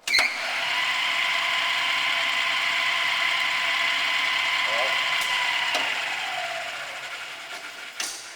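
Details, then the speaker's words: Hardinge Model HC automatic chucking lathe, spindle running in reverse around 1,000 speed: steady even whir and smooth high hum, no knocks or grinding; normal spindle running. "I'll raise it and lower it a little bit, and kind of watch it. We're speeding up. Come back down."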